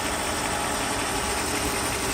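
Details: 1994 Mercedes S420 V8 after misfire repair, idling around 3 a.m.: even, steady idle with fan hiss over it, no stumble or shake; a cigarette pack set on it stays put; the fan's flow is still not enough.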